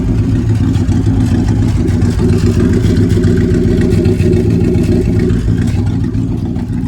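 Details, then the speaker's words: 1997 GMC 3500 with 7.4L Vortec 454, idling after replacing stuck-open cylinder 6 fuel injector: loud, rough, uneven rumble with a coarse unmuffled rasp; muffler blown apart. "still sounds a little crazy because of the muffler blend Muffler being blown out"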